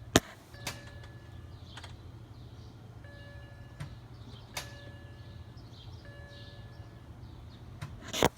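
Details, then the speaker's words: BMW E90 six-speed, clutch depressed, push-button start: couple of sharp clicks from the front and faint fuel pump hum but engine never turns over; no-crank condition. "It's all that happens. Nothing really happens when you have to when I push the button to start."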